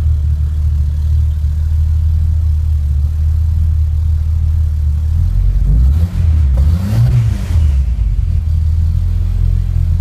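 Deep idle rumble that picks up into a quick rev and settles back; the run sounds uneven, consistent with a misfire.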